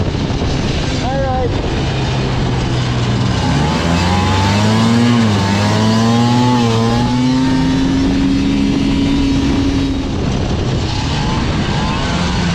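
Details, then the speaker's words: Liquifire snowmobile on a 20-degree day, after adjusting the choke plungers to 30 thou to cure a bog from quarter throttle up: revs climb smoothly in a clean rising tone with no stumble or bog, the engine now pulling properly. "now that's definitely more like it's supposed to be I think we got her fixed"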